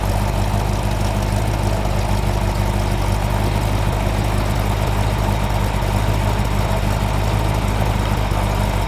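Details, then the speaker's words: Chrysler 318-to-349 stroker on the engine stand at first firing, for a '73 Barracuda project: quick revs with timing rising from about 20° to 30°; deep, steady V8 rumble with no knocks or misses, solid performance; normal revving. "About 20 degrees of timing there, about 20 degrees. Take it up to 30, let's bring ours up. That's 30. Oh, solid performance."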